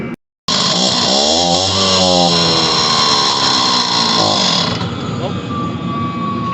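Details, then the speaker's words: Stihl TS400 cut-off saw two-stroke, just after carburetor repair, new air filter and tune-up: catches and revs raggedly with wandering pitch, then dies within seconds; owner suspects loss of spark, to be checked with a spark tester. "all right i think it's losing spark now it does try and run and also it just kills right off so i'm going to go get spark tester and test this"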